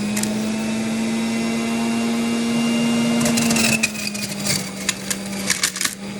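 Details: Juicer steady motor hum, then irregular hard cracks and rattles as cherries with pits still in them are crunched through the machine.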